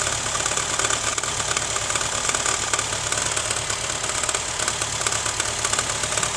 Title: rattling sound from my Honda fit 2011